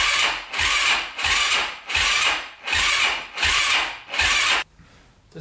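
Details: 2005 Yamaha YFZ450 big-bore single, first start after rebuild with fresh oil and battery just hooked up: slow, labored cranking at about one and a half compression heaves per second with no catch; owner says it isn't spinning over fast enough. Cause unconfirmed.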